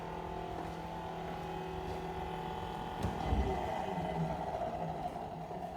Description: Discovered loud noises from faulty fridge motor after tenant moved out.